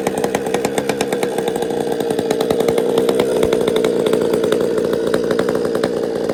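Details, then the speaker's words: Chainsaw just started after priming with a squirt of fuel: idles with an uneven, burbling pop instead of a crisp buzz, lazy low-speed running; low jet set a little rich. "It's a little fat on the low jet."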